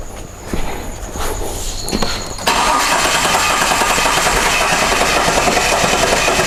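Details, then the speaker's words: 2009-2010 Jeep Cherokee 3.7L V6, hard start and rough running: rhythmic puffing heard at the intake/air filter with each crank stroke; suspected leaking intake valve, not yet confirmed. "definitely on the intake i can hear it uh it's puffing as as the engine is cranking so it may possibly have an intake valve uh problem here"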